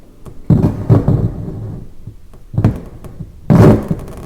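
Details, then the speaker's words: Yamaha CR 450 stereo receiver during a transistor and capacitor repair: irregular low thumps and rumbles come through the speaker in bursts, different from before; bulged filter capacitors are suspected but not confirmed. "here's some noise [Music] yeah i'm thinking i'm thinking maybe that's coming from these filter gaps man these things are super bulged now"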